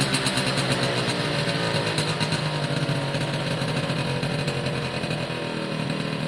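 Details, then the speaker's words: Suzuki AP50 two-stroke after carb clean, air box on, revved by hand (throttle cable unconnected) through the range: buzzy revs climb and fall fairly cleanly, no bogging or misfire; normal revving once choke sorted itself out. "ah that seems better to me once the choke i thought itself out"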